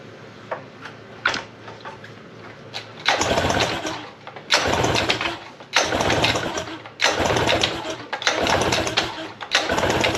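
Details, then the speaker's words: 1999 Mercury 15 hp two-stroke short-shaft outboard, compression test with throttle not held open: repeated short cranking bursts with even chuffing and no firing; about 100 psi per cylinder, healthy. "so we got 100 in each cylinder so that's a pretty good reading that we want to get has to be within 10 percent"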